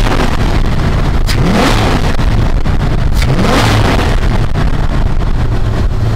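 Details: Square-body Dodge Ram after a no-start repair, PCM powered through a fused jumper in place of the missing white fusible link: deep rumble with two strong revs rising and falling and a steady low note between them, no misses or knocks.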